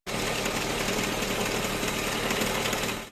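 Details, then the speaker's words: 2014 Corvette C7 V8 running with fast even ticking from a worn belt tensioner knocking metal on metal; no OBD fault codes, so a mechanical cause. "Customers saying that there is a tickling noise."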